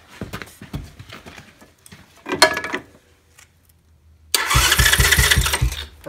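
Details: Chinese ATV starter, cover off, spinning the engine over in a quick, even burst with no grinding after the fix: a fallen-out rubber piece that was rubbing on metal parts was put back; starter healthy.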